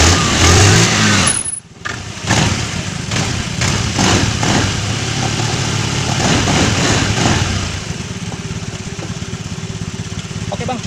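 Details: Scooter CVT after fitting a new crankcase bearing to cure a growl: the engine catches and settles into a steady, even idle with no growl from the CVT side.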